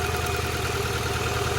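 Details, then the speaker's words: $200 Honda Accord: rough, uneven idle with a lopsided beat and a missing pulse, one dead cylinder; swapping the plugs did not fix it, so owner suspects electrical or injector problems. Misfire, dead cylinder at idle. "Now this should also be another live cylinder. Yep. So that did not work. So it is not the plugs."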